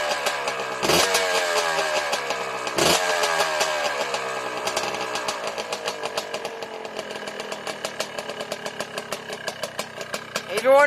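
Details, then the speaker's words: Yamaha Blaster two-stroke ATV: several kick-start attempts before it catches, then busy, uneven idle on choke and a rev blip; hard starting because of too much throttle with choke on, fired right up once throttle was eased. "why i took so many kicks uh i was giving it too much gas as soon as i let off the throttle a little bit it fired right up"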